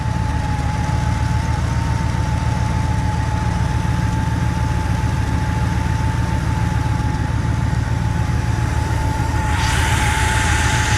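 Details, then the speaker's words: Big red truck, first spring start-up after sitting about five months since October; close listen shows rough uneven idle with low thrum and steady whine, owner suspects a bearing and notes a leak on one side, smoothing as it runs; cause unknown. "sounds like a bearing oh maybe the leaks yeah it leaks on this side you see down there yeah i wonder what that is"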